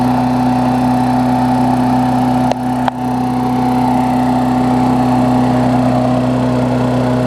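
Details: Briggs Classic engine on a Bolens push-mower deck with what is probably a Murray blade, after fitting the diaphragm and 10-15 minutes of running; the mower hadn't run in a while: steady, even drone with a firm low hum and no misses or vibration; running smoothly and healthy.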